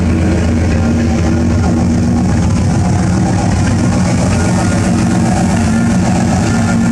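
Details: 1995 Silverado Z71 1500 with transplanted 327 V8, after tightening both gas lines: steady, even low rumble holding one speed, no misses, knocks or hiccups; runs smoothly.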